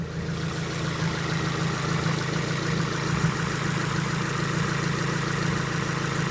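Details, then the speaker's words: Subaru WRX at idle with a long-running fine-knock-learn issue. Steady, slightly uneven lawnmower-like boxer burble with a low thrum, no knocks or ticks standing out; sounds normal. "I mean, you can tell it still sounds normal. I mean, it sounds like a noisy lawnmower in my opinion still, but"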